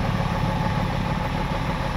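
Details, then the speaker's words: Diesel tow truck with a sudden knock, blue smoke and one cylinder missing: deep, lumpy idle with an uneven low flutter, running on five cylinders; bad injector suspected, not confirmed. "You hear that kind of flutter? Yep, I would say that's an injector."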